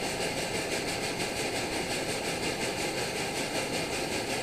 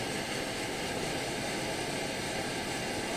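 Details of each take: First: Primus OmniFuel stove on white gas with OmniDawg silent damper cap: steady roar with a soft chug about three times a second from excess fuel flow, easing off as the bottle valve is closed down; not a cap defect. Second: Primus OmniFuel stove on white gas with OmniDawg cap, bottle valve closed down: smooth, even hiss and roar, no pulsing or chugging, flame stabilized. Normal steady burner.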